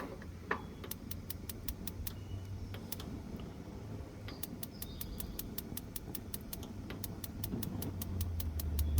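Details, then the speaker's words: BBQ gas grill after replacing sparker igniter and battery: sharp even ticks about three and a half per second over quiet background as burners light; normal igniter clicking. "You can hear it clicking. And there it is lit."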